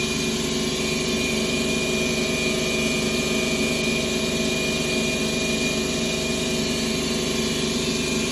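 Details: 2011 Ford Escape 2.5L at idle with codes P0300–P0304, misfiring on cylinders 2 and 1: uneven, stumbling idle with no clean rhythm; with the engine removed, the cause was found to be a broken valve in cylinder 2 with low compression.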